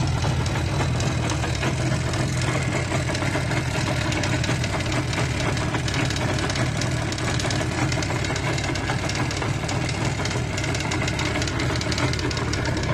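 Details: Izh Jupiter 5 two-stroke twin at a steady idle with a fast metallic ringing tick over the exhaust beat; owner suspects piston knock, cause not confirmed.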